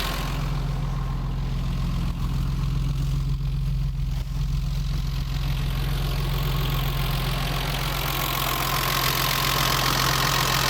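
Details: BMW 325i E30, M20 engine, cold idle right after valve adjustment to manufacturer values: steady rapid tappet ticking over the engine note, louder than before; idle sits higher. Owner finds it quite noisy.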